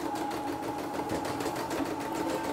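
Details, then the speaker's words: CNY E960 embroidery machine, previously seized with a hard knocking noise, after replacing the motor, bobbin case and fan: even, quick mechanical clatter with steady ticking and a light hum, no knocks. Now runs normally. "Tapi langsung jalan, langsung normal ya."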